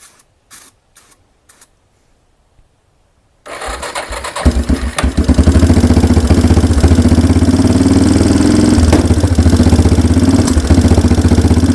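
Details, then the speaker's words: 1992 Yamaha Big Bear ATV after sitting a decade, cold, choke pulled, on starting fluid: after a few clicks it fires into a lumpy, uneven run. Spark and compression are fine; the carburettor is gummed and needs a rebuild. "so there you go is running just with some starter fluid we didn't change anything else out"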